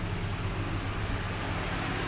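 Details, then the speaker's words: 1995 Toyota Great Corolla 1.6 SEG manual, hood open, idling with AC on: even steady low idle, compressor smooth with no growling; engine and AC compressor healthy, AC cold. "untuk kondisi AC nyala kompresor pun juga masih halus rekan-rekan tidak ada suara ngorok kompresor ac-nya masih bagus"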